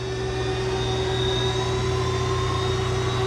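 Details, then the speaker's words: Alfa Laval fuel polisher centrifugal separator starting up: steady hum with faint higher tones slowly climbing as the bowl gathers speed toward over 2,000 rpm (max 7,500 rpm); normal, healthy run-up. "so we're going to turn it on you feel that it start to spin yeah it's spinning it's"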